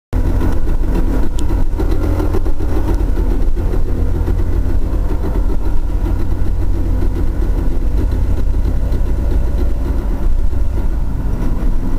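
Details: Trans Am T56 manual transmission that began making noises on Friday night: deep lumpy idle rumble with an uneven rattling clatter over it. The gearbox is to be pulled for inspection.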